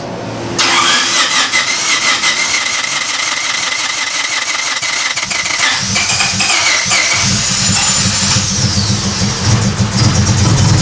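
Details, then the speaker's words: Honda Civic EK hatch project after the spark plugs were cleaned: it cranks, catches and runs with an uneven, stumbling beat and dropped pulses, a clear misfire. "so yeah we've definitely got some misfires there"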